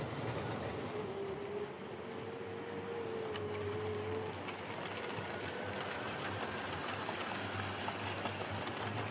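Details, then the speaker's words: Steady thin whine over track clatter from a Hornby R2329M Britannia class "Dornoch Firth" model locomotive motor before overhaul; a noisy motor with a pretty bad whine that might ease with running. "okay so that's the door knock fourth um it's a bit of a noisy one uh yeah it actually sounds like the old Fleischman of silver sealing fuel motor um you know it's got a pretty bad wine"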